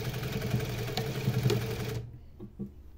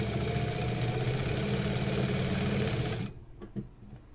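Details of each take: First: Sewing machine with a newly installed servo motor at about 400–600 stitches per minute. A steady whirring hum with a light irregular ticking from the drive belt rubbing the table, still to be adjusted. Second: New servo motor on a sewing machine with topstitch presser foot, run from 600 up to about 2000 stitches per minute (max about 4000): quick even needle chatter over smooth motor hum, stopping cleanly; normal, quiet running.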